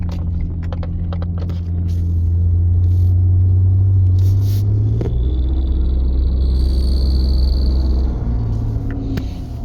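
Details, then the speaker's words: 2016 Ford F-150 3.5L twin-turbo V6, cold at 55°F, pulling away: deep rumble with a faint quick chirping tick on top; exhaust manifold leak from broken manifold studs, repair planned in a few months. "don't know if you could hear that but that one was a a pretty decent chirp I'm uh pretty pretty cold right now it's 55 degrees so that's what you're going to hear uh when you uh when the exhaust manifold studs are broken off"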